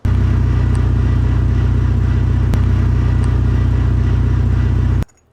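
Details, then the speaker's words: Mitsubishi with SST DCT470 dual-clutch transmission revving while the car won't move: steady low rumble with fast, fairly even chatter about four per second; output splines and transfer case coupler splines worn smooth and stripped. "So there you go. So that's what causes that noise and those symptoms. So typically, if one piece is worn to this point where it's stripped, the other piece is going to be destroyed as well."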